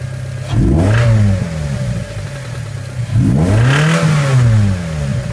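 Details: 2006 Mazda Miata (NC) engine revved twice, with a hard rattling knock under the rising and falling engine note from a spun bearing.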